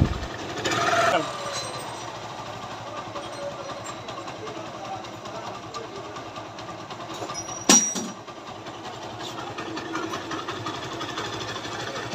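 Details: TVS Apache RTR 150 first model, after engine removal and gearbox repair for a sound problem: even, steady engine beat with a quick rev near the start and another around eight seconds; runs smooth and healthy.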